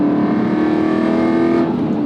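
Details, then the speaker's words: Rebuilt Aston Martin V8 Vantage, dry-sump V8, accelerating on the road: smooth, strong note climbing steadily with revs, even and clean with no knocks or misfire; healthy engine pulling hard. "dry sump 50/50 weight distribution the steering is is oh it's just fantastic it sounds amazing it feels great in here"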